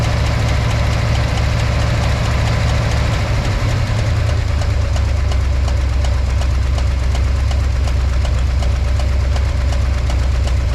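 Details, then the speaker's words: V8 with backfiring, cylinder 6 spark plug lead disconnected: lumpy uneven idle with steady low throb and dead beat; no difference from connected, so cylinder 6 fault unclear. "So, tested number 6, as you saw, connected and disconnected. Didn't notice any difference."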